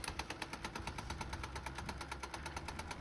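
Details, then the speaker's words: HP LaserJet M202dw feeding a page on a test print, with a fast, even tapping knock over a low motor hum: the motor timing belt pulley lock is wobbling. The gears are fine. "तो ये देखो दोस्तों ये खटखट खटखट कर रहा है। जो इसकी बेल्ट है मोटर की बेल्ट इस पर फिक्स होती है। यह पब्लिंग कर रहा है। इसकी वजह से हमारे खटखट वाली आवाज आ रही है।"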